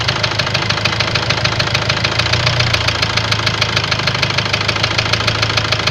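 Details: Ford Transit diesel idling with a sharp, regular metallic knock about three per second over the clatter; scan shows high-pressure calibration data, cylinder balance fault and a leaking injector, plus loss of revs, knock cause unconfirmed.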